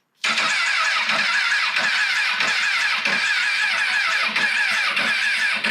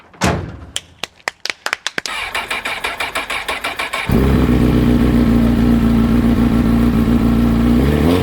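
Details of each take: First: 2006 Honda CBR1000RR rebuilt from a wreck, first start attempt with fresh gas; starter cranks steadily for about six seconds and never catches, no fuel pump priming heard; suspected fuel pump or tilt sensor; crank no start. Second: Wrecked 2006 Honda CBR1000RR rebuilt, first start: a few seconds of cranking, then it catches and settles into a smooth, steady idle with no knocks or misses. The water pump is still to be inspected.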